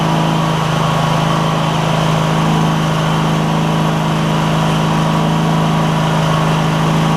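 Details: Cub Cadet GT1554 garden tractor with 27 hp Kohler Courage V-twin (2006), after new ignition coils and belts, blade not engaged: smooth, constant drone with an even beat, no skips or pops; running cleanly.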